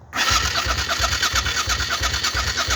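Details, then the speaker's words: 1968 Fiat 500 with a motorbike engine, stored 14 years without running: starter whirs and the engine turns over in steady pulses, about four a second, fuel pump audible, but never fires; spark or injection unknown. "ike I say, I had it turning over. I could hear the pump running, but I couldn't work out if it wasn't injecting or it wasn't sparking."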